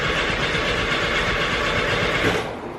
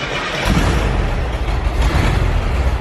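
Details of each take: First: 1973 VW Bus after alternator replacement (jump box hooked up backwards), dash fuel pump switch on; steady cranking, never catches, no fuel pump buzz; fuel pump wire found disconnected. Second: 1973 VW Bus, air-cooled, in neutral, after a fix to the dash switch powering the coil and fuel pump: it catches quickly and settles into a low, steady throbbing idle; normal start.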